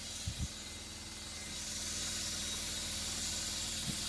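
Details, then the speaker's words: Water-methanol injection system tested before reassembly: a soft steady hiss of fine spray from the nozzle with no sputter or pulsing, a nice normal spray pattern. "Notice you can just see the nozzle. It's got a nice spray pattern to it."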